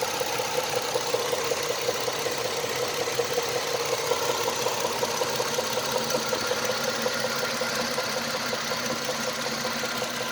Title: стук в двигателе chrysler sebring 2.7 V6 2004 года. (провернуло шатунный вкладыш)